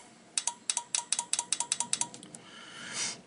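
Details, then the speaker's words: Relay from the underhood X50A fuse box board of a 2016 GMC Sierra with non-working high-speed wipers, bench-powered through the 25 amp fuse terminals and ground after cleaning the board; crisp paired clicks, about four per second, relay clicking when energized. "so now I'm going to hook some power to it and see if we can get it to click"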